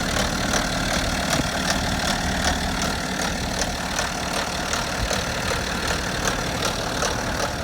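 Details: BMW F10 530d LCI diesel on early-morning cold start: steady light tick about two and a half per second over the idle rumble; knocking noise, source undetermined.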